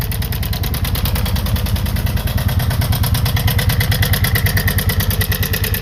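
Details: February 1987 Kawasaki VN 750 Twin, 43,000 km, idling cold in the garage: loud fast metallic clatter, about three ticks a second, fading at higher speed; owner suspects the cam chain, possibly hydraulic lifters, unconfirmed.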